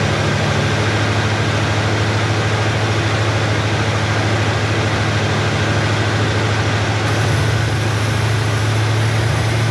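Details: Chevrolet Nova Super Sport V8 idling after the distributor was replaced with a vacuum-advance unit; choke needs adjusting, good vacuum. Even, deep idle holding steady, slight speed lift near the end, no stumbles: smooth idle.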